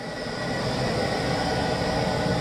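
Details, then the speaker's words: Boiler room burner, after the unit was moved 40 cm forward and raised on a base: steady, even roar with a smooth flame rumble and no pulsing or rough firing; lit and running cleanly. "Είδες τι ωραία που παίρνει τώρα το μηχάνημα μπρος, που το πήγαμε και 40 εκατοστά πιο μπροστά,"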